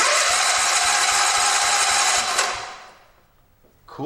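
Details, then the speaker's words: 1974 John Deere 112 garden tractor after swap from 12 hp Kohler K301 to 16 hp Kohler K341, first cranking before fueling: starter turns engine briskly and evenly, about four compression beats a second, steady until it stops; healthy cranking. "that actually sounds pretty good so that's the first time cranking that over since it's been in there and it sounds pretty good"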